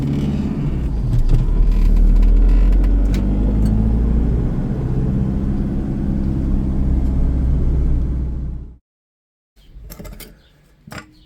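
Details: Range Rover L322 with the 3.0 BMW M57 diesel: a loud, low drone with a rhythmic mechanical beat of about four per second before shutdown. The turbo has failed and is replaced with a good second-hand unit.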